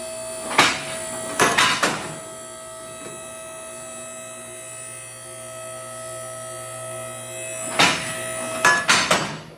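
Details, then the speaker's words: 4-post shop hoist raising a vehicle: steady pump hum with sharp metallic clicks in two clusters as the four safety locks drop over the rungs at different times: normal safety lock clicks. "so they're going to climb over the top of those land down you'll hear them all four of them hit at different times"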